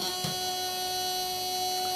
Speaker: so what i'll do now is i'll turn it on and immediately you hear the relay start buzzing